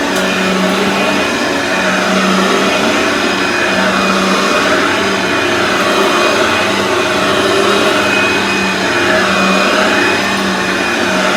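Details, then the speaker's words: Aeros upright vacuum cleaner, model U162C, first test after unboxing on carpet: motor holds a steady, even whine, pitch swinging gently as the head moves back and forth; sounds healthy, normal running. "so let's just hope it works so it works"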